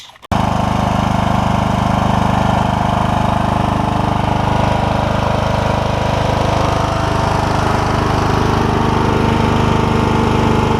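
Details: Troy-Bilt Super Bronco lawn tractor, Kohler Courage single-cylinder with cracked block repaired with JB Weld, test run: steady, even pulsing at constant speed, no knocks, misses or rattles; healthy running.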